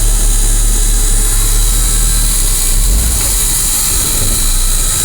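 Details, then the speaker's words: 1980 Ford F700/F7000 8.2L diesel crane truck, started after a year of storage; a deep, even diesel rumble settling to a steady idle behind hiss and air noise, smoking a little; normal idle. "smokes a little but then it hasn't been run for a year it just been sat all year not being used"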